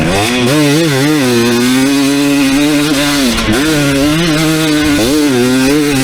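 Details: 2019 KTM 250SX two-stroke, Lectron Billetron 38 Pro carb, riding after torque jet turned out half a turn: loud drone rising and dipping with throttle, no detonation or pinging, slight burble in spots, jetting a touch rich.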